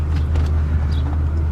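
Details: 1999 Mercedes E55 AMG V8 with a misfire that was being chased with a junkyard coil pack: while reversing out, a steady, even low rumble with no skips; no misfire is felt.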